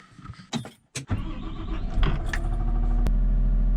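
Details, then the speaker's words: 2015 Caterpillar 930M wheel loader, Cat Tier 4 Final diesel, about 170 hp and 600 lb-ft, started from the cab: brief cranking, catches and settles into a quiet, steady, even idle with no knocks; normal start. "So as you can hear, this is a pretty quiet motor. It has a Cat Tier 4 final, about 170 horsepower and 600 pound-feet of torque."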